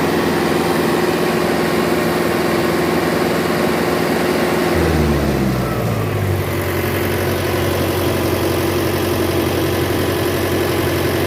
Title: Turbo Failure Fun